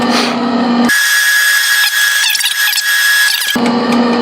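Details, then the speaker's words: Northern Industrial MIG welder after a wire change, machine on and trigger pulled with the feed locked down: steady, even, high wire-feed motor whine for about three seconds as wire starts to feed; working normally. "Now we're going to see, we're going to pull the trigger. Yeah, see, it's starting to feed, so that's a good sign."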